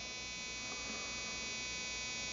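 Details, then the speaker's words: RCexl DLE30 ignition on a tester at about 7,000 rpm, powered by an A123 1100 battery drained to 6.5 V through a dual-diode voltage reducer, seeing about 4.74 V: even high-pitched buzz with no gaps or stutters; normal spark. "that ignition's humming it's not missing a beat"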